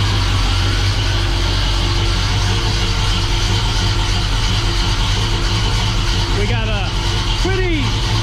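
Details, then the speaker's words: Freshly rebuilt 350 V8 in a 1969 Oldsmobile Cutlass, after cam break-in and coolant overheating: deep, even idle with soft, slightly lumpy mild-cam beat; smooth and steady, healthy. "mild cam in it that you can hear nice so that is a huge milestone reached we have the engine running"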